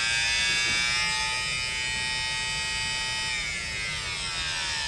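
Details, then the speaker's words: 2006 Mercedes secondary air pump (combi valves hold vacuum; power and ground OK), during an output test: a harsh, high buzzing pump whine sags and shifts in pitch, quitting intermittently. Bad pump, probably a dead spot on the commutator bars. "and noisy, and it probably has a dead spot on the commutator bars."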